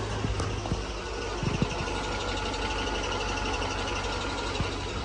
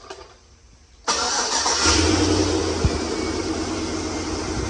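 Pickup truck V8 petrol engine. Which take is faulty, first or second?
first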